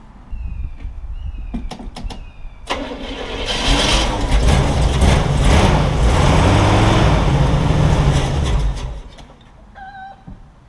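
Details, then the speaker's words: Chevy 350 in a CJ-7 Jeep with a two-barrel Ford Motorcraft carburetor: cranks, catches on first try and runs about six seconds on fuel poured into the carb, then dies; fuel pump not yet feeding the carburetor. "it will run believe it or not that was my first try I'm gonna have to do that probably three or four more times until I can get fueling the fuel line going to the carburetor from the fuel pump"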